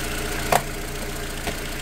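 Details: Renault Twingo Mk1 just started after catalytic converter replacement (P0420, P0136 codes): slightly uneven idle with a couple of sharp ticks; choppy, owner suspects an exhaust leak but finds none.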